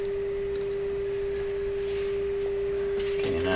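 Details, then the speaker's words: 70-year-old Canadian PYE Model 762 shortwave receiver during final alignment, tuned to a 6 MHz signal generator: clean steady tone confirming dial accuracy and proper alignment. "you can hear the signal generator turn it up a little bit and just see how accurate that is"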